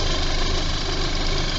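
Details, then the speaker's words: VW MK5 GTI just after oil pump, timing chain, tensioner, balance shaft and timing belt job, timing dead on: steady even idle with faint light chatter from the aftermarket tensioner, not the chain; normal idle. "That runs nice. The tensioner is an A1 premium replacement, so it's starting to make a little bit of noise, a little bit of chattering, but it's not coming from the chain. The chain had a different sound."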